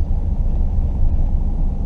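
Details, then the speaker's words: 2011 Ford Edge with a split-second misfire at wide open throttle around 6,500 rpm, traced to cylinders 2 and 6: a deep labouring drone under heavy throttle with an uneven, choppy pulse underneath. "the only bummer is that the power balance doesn't work at higher rpms as it comes up excessive rpm but as you come down you can still misfire against you can tell it's on 2 & 6"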